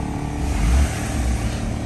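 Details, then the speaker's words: Honda Civic EK sedan after no-start fix (battery suspected shot, jump-started), engine running: steady, even low idle hum with no roughness, stumbles or misses, running good. "No rough auto or nothing. It's running good."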